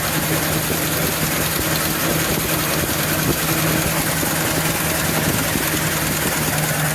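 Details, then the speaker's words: 2015 Ford Super Duty 6.2L V8 still misfiring after plugs and coils replaced: deep lumpy uneven idle, noise from one side, like a cylinder dropping out; loose spark plug suspected, hole found, cause unconfirmed. "oh yeah oh yeah I don't know if you heard the Cadence yeah the noise does seem to be coming from this side I don't know what that noise is that could be a loose spark plug"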